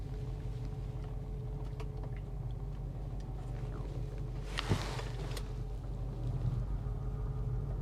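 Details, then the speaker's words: V8 auction car, service engine soon light on, idling with a deep uneven rumble whose beat stumbles: a definite misfire at idle. "yeah she is misfiring definitely got a misfire"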